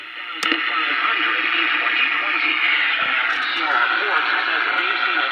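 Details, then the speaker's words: Crosley American Overseas Model 66TC radio tuned to AM station WCBS: the station is swamped by loud constant crackling hiss from a nearby light interfering with reception. "this is wcbs but it's all kinds of noise and this light here uh produces a lot of racket with the this thing here"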